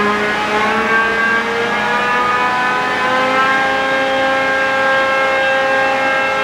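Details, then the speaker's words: John Deere Green F12 090 hydraulic motor on the bench, unloaded, after teardown and reassembly found no damage (backlash 1.5–1.75), testing a customer-reported squeal. Smooth, even whirring hum at steady pitch with no squeal or rattle: normal hydraulic motor run. "I didn't hear any squeal. No."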